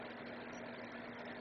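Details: LifeSmart Renew roll-around PTC ceramic heater (sold as infrared), relays stepped in and drawing about 5 amps: a soft, even fan rush with no rattles or buzzing. The blower is running normally.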